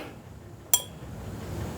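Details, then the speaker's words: Old cam compression release lever on a Briggs and Stratton 17.5 hp engine, worked by hand: a dull ping as it closes slowly. The worn spring is too weak to keep the lever closed, so the engine will not start. "Right here, you see how slow that closed, and you can hear the difference in the ping as far as the tension goes."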